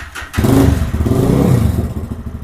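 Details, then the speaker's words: Lifan KPM 200 motorcycle with throttle position sensor returned to original setting after 1.6% caused low idle and hesitation: fires up, quick even thumping idle, crisp throttle, won't die; normal idle. "does now it sounds like the idle speed is up higher it's quick crisp throttle and it doesn't want to die if I hit the throttle hard"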